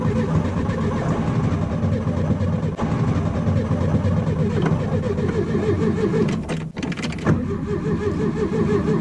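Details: VW Beetle that cranks but won't start when hot: the starter churns the engine over in a steady, rapid rhythm and it never catches. The battery is good; the cause is suspected, not confirmed.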